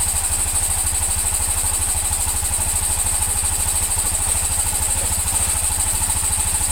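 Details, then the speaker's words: Honda Scoopy (Genio engine) at idle after repair of crankshaft bearing and connecting rod: steady even low putter with regular firing and no knocks or rattles, engine healthy. "Alus toh munine kaya perawan alus. Yo ngene iki mas, nek sabar hasil insyaallah memuaskan."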